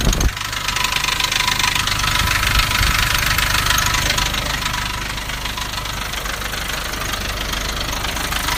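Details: Nissan Navara D40 2.5 dCi diesel at idle: steady fast rattle, three to four beats a second, easily mistaken for a dual-mass flywheel; traced to a cracked intake manifold.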